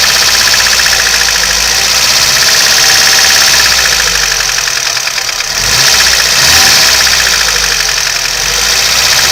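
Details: VAZ 2101 engine running with sharp, rapid metallic tapping about four per second over it, owner asks for help identifying the cause; engine knock.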